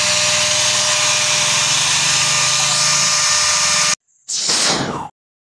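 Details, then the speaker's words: Electric hand angle grinder runs loud, vibrating hard, with a harsh high whine and a rough, uneven throb. The cause is a worn, loose bearing that makes the rotor spin unstably, and the fix is replacing the bearing. "gerinda ini Apabila dinyalakan dia akan bergetar terlalu kencang dan suaranya bising sekali"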